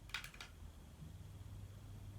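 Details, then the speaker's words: Fantasia Phoenix 42-inch antique brass ceiling fan, about 10 years old, after replacing the remote control receiver, on medium speed: handling clicks then soft even hum and air hush, no motor growl or ticking; running normally. "I can hear the fan kick in for medium speed. Being a 42-inch fan, medium and slow is perfect for the night time. You can hear the air movement, but there's certainly no sound coming from the motor."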